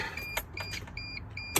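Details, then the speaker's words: 2003–2006 T1N Mercedes/Dodge Sprinter van with a good battery and alternator: a few sharp relay and starter clicks with no cranking when trying to start. A no-start clicking fault; jiggling the shifter is suggested. "all right so your relay's clicking you can hear your starters clicking"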